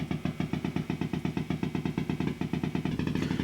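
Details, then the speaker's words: Marshall JTM45 MKII model 2245 guitar amp, a couple of minutes after switch-on: steady putt-putt pulsing about seven a second; motorboating low-frequency oscillation, alongside popping and crackling fault. "you can hear it's motorboating that's called motor boating for obvious reasons sounds like a motorboat putter in the long"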